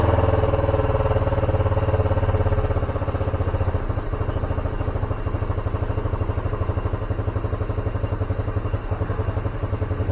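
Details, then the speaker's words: Carbureted Honda Scoopy single-cylinder scooter, stalls when easing off throttle, at raised rpm: steady slightly uneven pulse, dies when vacuum hose fitted; fuel escapes with vacuum, vacuum fuel tap membrane likely leaking. "Ada vakum udara ini ternyata bensinnya Juga ikut keluar kemungkinan dari membrannya juga sudah bocor ya"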